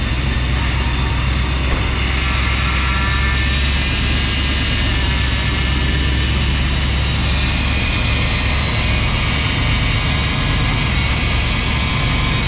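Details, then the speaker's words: 1991 GMC Suburban, TBI V8, sat 10 years, fuel pump hotwired: runs with steady fast idle, deep even rumble, no hunting; owner thinks a missing vacuum line causes the high idle; power steering fluid maybe low. "all right well we know it'll run and idle uh there's a vacuum line that's missing I think that's why we have such a high idle still"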